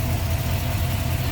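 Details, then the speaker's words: 1963 Chevrolet Nova 2-door hardtop, 350 V8 with Edelbrock Performer RPM intake, Holley carb, HEI ignition and headers, in the engine bay: a deep, even burble with a steady low lope and no knocks or ticks, a normal idle. "Headers. Good sounding engine."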